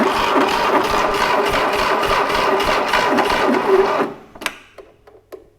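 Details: 1968 Fiat 500 twin-cylinder engine, sitting since the early 1980s, on a second start attempt with no choke. Even starter churning of about three to four beats a second for several seconds with no firing: cranks but won't start.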